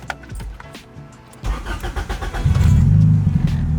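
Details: Honda/Acura with newly installed Rayspec Dual Main Relay kill switch, switched back on: starter cranks briefly and engine catches cleanly into a steady, even idle; starts normally.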